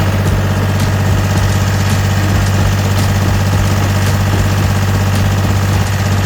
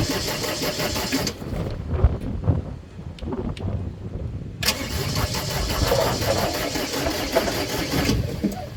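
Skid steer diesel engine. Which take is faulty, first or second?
second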